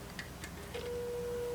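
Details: 1936-37 Montgomery Wards Airline 62-425 radio speaker tested with leads reversed: a few clicks, then a clean, steady mid-pitched tone with no buzz or rattle, the same level as before; the speaker works.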